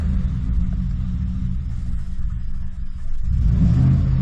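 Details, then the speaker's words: 2014 Ford F150 V8 with new intake tube, ongoing misfire after dealership repair: low, lumpy, stumbling idle needing throttle to stay running, stalls on its own, no check engine light; owner suspects idle air control valve; rough idle misfire. "it still seems to be running a little rough um it's not don't seem to be idling right seems to have a little bit of a misfire at idle"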